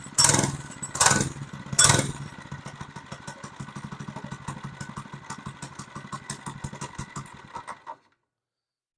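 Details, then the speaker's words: Monster Moto 80 minibike revived after sitting outside a couple of years (frozen throttle cables, rusted chain), started on choke: a few strong revs, then an even, quick putter before shutoff. Runs all right. "seems to run all right"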